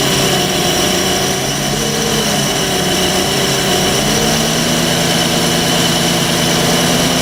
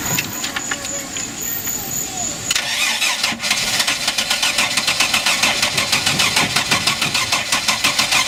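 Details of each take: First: MerCruiser 4.3 V6 boat engine on a new block, after water was found in the fuel system and the engine's fuel pump was allowed to feed the carburetor, idles steadily with a smooth low drone and no knocks or misses; now running cleanly. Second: Mercruiser 4.3 V6 boat with a new block, a suspect rebuilt carburetor, a new fuel pump and possible water in the fuel: the starter churns a steady chug about three beats a second with no catch because the carburetor is bone-dry; fuel starvation.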